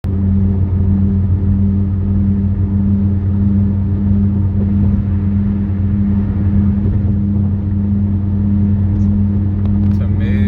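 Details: Car cabin while driving: steady low drone, a deep hum with a higher tone, silent at 40 mph but about five times louder at 45 mph, speed-dependent, cause undiagnosed.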